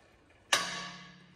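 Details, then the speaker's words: Tesla Model 3 clacking noise traced with acoustic camera: a single sharp metallic clack with brief ringing tail as the wheel turns, a creaking front wheel bearing rather than a suspension joint. "wie gesagt das problem ist kein unbekannter in der regel knacksen sie etwas leiser nicht ganz so laut wie er jetzt"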